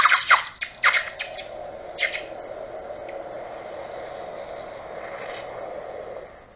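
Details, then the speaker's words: Aluminum ingot cast in an electric furnace quenched: metallic clanks from the pliers, then a steady soft hiss fading away; sizzle partly from condensation left on the pliers from the last pour. "You can hear it sizzling right now because there's still some kind of condensation on the pliers from the last pour, quench."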